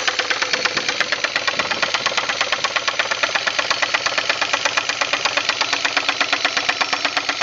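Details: 2000 Pontiac Grand Prix GT 3800 V6: sharp, loud, regular metallic knocking about three per second over the idle; serious internal engine knock.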